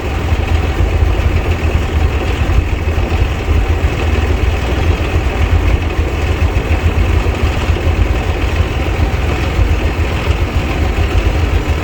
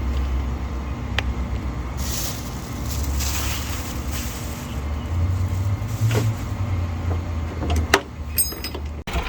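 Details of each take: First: 1990 Bluebird bus with turbo Cummins diesel, fuel system bled, battery charged: deep even idle rumble with no misses or knocks; runs better though the throttle still isn't working. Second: 1990 Bluebird bus with turbo Cummins diesel and VE injection pump, after bleeding the fuel system and fitting a new battery: deep uneven rumble surging and sagging, thumpy, no steady idle, as if short of fuel; cause suspected, not confirmed.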